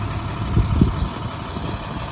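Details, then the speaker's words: 2012 International PB105 short school bus diesel idling; deep, even low rumble with no knocks or misfires — good-running, healthy engine. "It sounds great. It's got a good running diesel engine."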